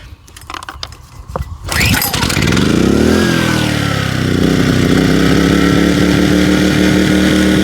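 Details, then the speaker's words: WEN 56200i 2000-watt inverter generator after its hidden low-speed idle jet was cleaned: the engine pulls over, catches, and settles into a steady, even run without surging, powering a light at 123 V and 60 Hz. "run so you can see there it's not really surging anymore like it was"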